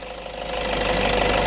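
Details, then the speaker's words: Toyota Innova 2.5 D4D diesel engine running: steady mid-pitched whine over the engine, rising slightly; alternator noise suspected, possibly a diode problem if noise disappears when unplugged, not confirmed. "now if if the noise is too loud and when it is plugged in when you unplug it"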